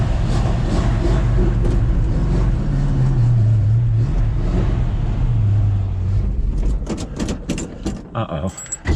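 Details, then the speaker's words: 1965 Mustang stored four months over winter, cold start with air filter off: smooth, steady idle sitting a bit high, no misses, keys and handling noise near end. "she's idled up a little high"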